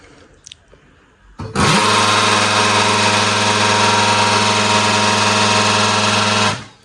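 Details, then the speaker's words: Canon LBP 2900 printer with outer covers removed, right after power-on: loud harsh steady whirring grind for about five seconds from the motor driving the gears; noisy drive, often due to damaged gears. "सो देख्न सक्नुहुन्छ एकदमै disturbing आवाज आइरहेको छ हैन।"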